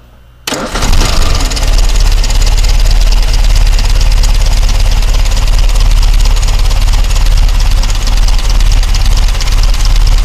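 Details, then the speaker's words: 1962 Triumph TR3A roadster, apparently about 61,000 original miles though unverified. A quick crank, then it catches at once and settles into a loud, steady four-cylinder beat with no misfire or knock; runs healthy. "now has the new wiper blades will start this engine up for a now so you can hear it run"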